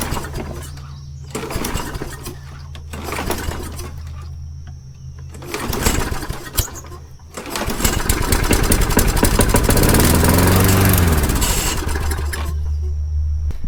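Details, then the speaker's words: Engine (mouse-chewed air filter, suspected bad priming bulb) on starting fluid and a splash of gas: a few pulls, catches and runs rough briefly, then stumbles and dies as fluid runs out, indicating a bad carburetor. "okay so it ran until the carburetor ran or out of starting fluid and then it died so it did exactly what it should have done indicating a bad carburetor"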